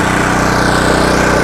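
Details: Budget small power generator, pull-started with choke then choke returned, no sound deadening: steady, even putter with constant pitch and no misses or knocks; idling normally, louder than the owner's 4,200 W and 2,300 W generators.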